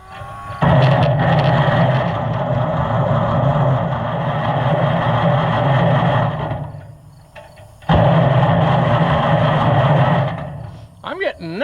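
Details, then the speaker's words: Oliver 1650/1655 tractor after swap to a new Delco-style distributor: starter churns steadily about three turns a second but never catches; new points seem glazed, giving no spark. "I don't know what it is, but the new points have like a glaze on them or something and then it doesn't want to play ball nicely."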